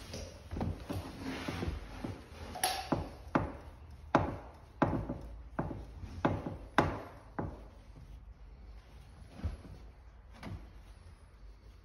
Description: Noise coming from flooring. Removed section and inspected. Metal strut in middle floor truss is making a noise whilst stepping on top plate.